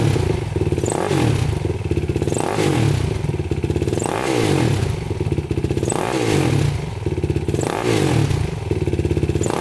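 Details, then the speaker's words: 2006 Yamaha YFZ450 quad, cold start after sitting 3 days: the single-cylinder fires instantly and revs cleanly on repeated blips, dropping back to a steady idle; it starts and runs normally, with only slight smoke on throttle. "Started right up. I've let this quad sit for about 3 days and instantly fired right up."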